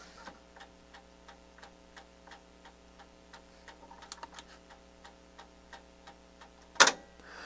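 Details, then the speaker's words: NAD 6155 cassette deck, take-up spool not turning, no fast forward or rewind: steady light clicks about three per second from the transport in a quiet room — mechanism binding, cause unknown before opening. "it's making that god awful noise you hear that yeah there's something wrong with this mechanism"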